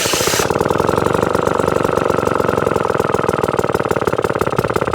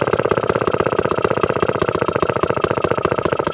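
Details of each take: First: 1954 kick-start Atco Midget lawnmower with a Villiers engine, restarted after years of storage, with the throttle turned right down: an even, slow putt-putt of about ten beats a second with clean firing, a healthy slow tickover. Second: 1954 Atco Midget kick-start lawnmower with Villiers engine, restored then stored, throttle turned right down: very slow uneven single-cylinder firing, each beat labouring and nearly dying; idle set too low.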